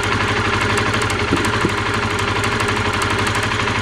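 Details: Honda CBR125R single-cylinder, heard while riding: sharp high-pitched clicking in step with firing, first mistaken for needing an oil change; spark arcing from the plug lead, whose inside was badly rusted. Rust cleaned off as a temporary fix; lead replacement considered.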